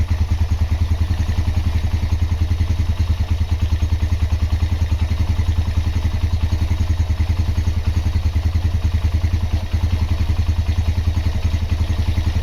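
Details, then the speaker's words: Honda GL Max Neotech single-cylinder engine after restoration/rebuild: even low thump about three and a half pulses a second, no knocks or rattles; normal running. "Oke, itu dia hasil peremajaan mesin Honda GLmax Neotech. Untuk suara mesin silakan didengar sendiri ya."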